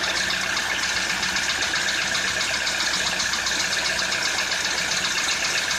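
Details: Citroën C4 2013 at idle: a sharp metallic tick, about four a second, rides over the engine note; knock from inside the engine.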